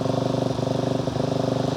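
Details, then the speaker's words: Carbureted motorcycle just started on full choke, cold and warming up: fast, even firing pulses that stumble and drop a beat now and then, almost sounding like misfires; mixture way too rich on choke. "you can hear it almost sounds like it's missing occasionally right now that's too rich that's way too rich"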